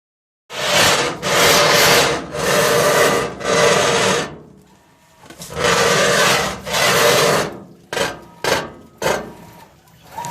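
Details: GE washing machine after being moved: loud rough scraping in repeated long strokes as the tub turns, stopping when the tub is pushed in; something rubbing under the tub, owner unsure if bearings or something knocked off.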